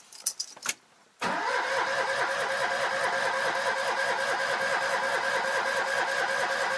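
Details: Citroen 2CV that refused to start in 35°C heat the day before, retried in cooler weather: a few clicks, then it catches almost at once and settles into an even, quick-beating idle; starts fine.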